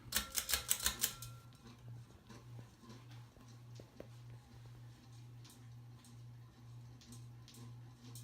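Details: 52-inch View fan model V652 from about 1988, white and polished brass with light kit, running on medium: low steady motor hum with faint irregular ticking and rattle from badly worn motor bearings; blades out of balance cause wobble.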